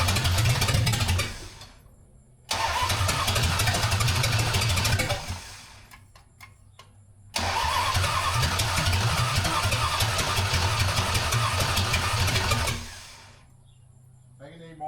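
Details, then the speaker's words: 1974 Dodge Dart Swinger unknown small block V8, long-sitting, after fixing timing 180 out: catches and runs rough a few seconds, cuts out, fires again, then dies; out of fuel; fuel starvation. "Yeah, it's definitely out of go juice."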